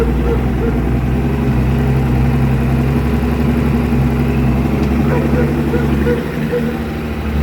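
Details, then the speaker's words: Evinrude 150 Ficht outboard after replacing a burned fuse that caused no power, no crank and no trim: steady low rumble with an even beat, no knocks or misses; idles smoothly. "Now, as you can see, trim works, and also the engine. So let's start it and check it out."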